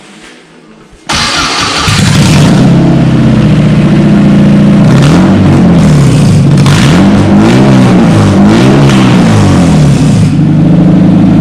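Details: Honda K20 engine swapped into a VW Bug, first start on its own power after fixing the intake manifold air leak with a new gasket, fitting a new high-flow fuel pump and K-Tuned parts. Cranks and catches within a second, strong idle with clean throttle blips; normal start and idle.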